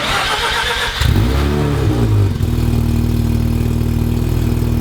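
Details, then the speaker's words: Car with a welded diff, first start after reconnecting the exhaust. Rough idle with a rapid puffing pulse from a big leak at the catalytic converter joint; previous owner fitted an aftermarket cat. Exhaust leak. "that was a failure it is leaking it's leaking big time"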